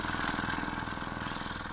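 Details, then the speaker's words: Loudspeaker repair, centering test with audio generator at 20 Hz after gluing cone to frame and spider: slow even throb with scratchy rasp each stroke, voice coil still rubbing. "Kita pakai respon 20 Hz ya pemirsa. Ini ada suara sek ini berarti masih gesek."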